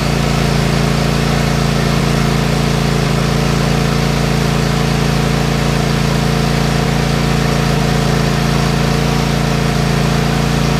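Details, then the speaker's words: Craftsman Kohler 7000 series KT715 20 HP twin after replacing both ignition coils: smooth, even hum with no skips or stumbles, both cylinders firing cleanly. The earlier high-speed miss and loss of power on one cylinder was cured by the new coils. "Well, Guys, well guys, as you can tell, it runs like a sewing machine now."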